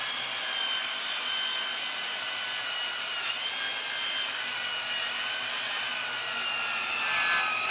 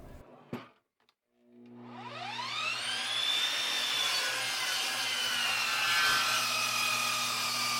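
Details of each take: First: Dovaman DMS01C 10-inch sliding miter saw cutting pine at a 45-degree miter: high whine with blade rasping through wood, dipping midway as the motor loses RPM; motor bogging under heavy load. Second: Dovaman DMS01C 10-inch sliding miter saw crosscutting 3x12 pine, pushed harder for a 6.2-second cut: motor whine sags as the blade bites, then holds a steady, even cutting tone with no rattle or grinding; normal cutting under load.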